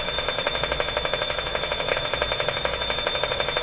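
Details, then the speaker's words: Canadian Westinghouse 981 shortwave radio after replacing two large capacitors: fast, even ticking about four per second over a steady high tone from the speaker; source unknown, suspected local interference resembling car ignition noise. "we're only running on 85 volts here let's just jack it up oh lots more volume checking for smoke no smoke tick tick tick tick tick no idea what that is"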